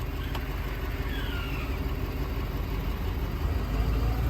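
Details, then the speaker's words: Hiab knuckle boom truck diesel at idle with the park brake set: the rumble firms up and idle rises slightly as the PTO is switched on. "you'll hear it idle up showing that the pto's on"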